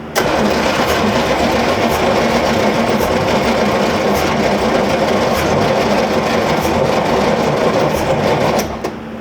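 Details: 1963 Corvette Split Window, fuel line disconnected at the tank to test whether the fuel pump draws fuel: starter turns the engine steadily for several seconds without it catching. Cranks but won't fire.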